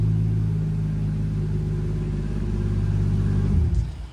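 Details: 1995 Toyota Supra, right-hand drive, 2JZ-GTE swap with big single BorgWarner turbo: deep, steady drone holding even revs with no knocks, misses or rattles, then cut off cleanly; healthy revving.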